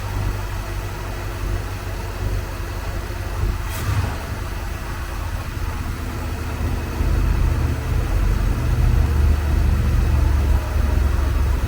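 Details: Carbureted Bronco after lean-best-idle mixture adjustment, idling at about 640 rpm (target 675) before the ignition timing is advanced: low, even rumble at a slow steady idle with no misses or knocks.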